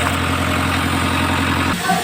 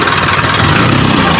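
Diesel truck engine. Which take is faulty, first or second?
first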